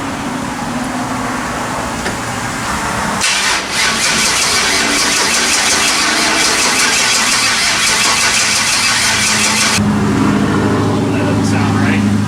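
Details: LS-swapped Chevrolet S10 pickup with MSD ignition box, first fire-up attempt; starter spins engine steadily about three turns a second but it never catches; suspected carbon-fouled spark plugs, plugs then cleaned: cranks but will not start.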